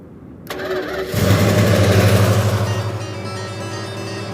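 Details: Imperial, engine start after damaged, taped-together wiring was repaired. A brief crank, then the engine catches and settles into a steady, even idle with no misses. Normal engine start.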